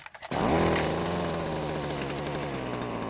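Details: Stihl string trimmer that started but lacked power, after repair and refuel: quick rise to a loud, steady high-pitched buzz holding full speed without surging or bogging, louder as exhaust flows with less restriction; normal full-throttle run.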